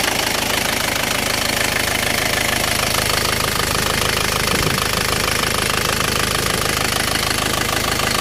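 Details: Isuzu 4JA1 diesel with hard starting and low power: hard, regular clatter at idle, about two knocks a second over a busy rattle; rough running, cause not evident.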